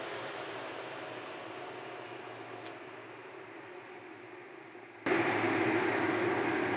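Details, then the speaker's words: Miller welding fume extractor blower, auction find, cleaned and bench test-run before hookup: spins up to a steady even rushing whoosh, no rattle, rub or wobble; smooth, slightly loud, healthy. "definitely works. It's just as smooth as silk. It's that good quality rotor in there. Nice. A little loud, but it may not be as loud when it's all hooked up."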